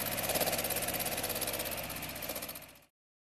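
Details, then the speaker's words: 1960 MGA engine, first start since early 1970s after rebuild, too much choke, smells rich: catches and settles into an even beat around 200 a minute, no knock or miss; normal running. "yeah too much choke okay go man sounds like a real engine"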